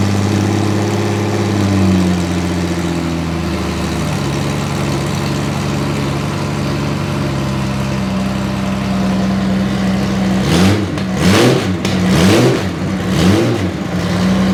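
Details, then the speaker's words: Derelict Honda Gold Wing flat-six, first start after cam belt installation, on open header pipes, tipover sensor secured upright: smooth, even idle with clean throttle blips, no rattle or leaks; cam belts installed correctly. "Right. So, we know it starts. That means the cam belts were installed correctly."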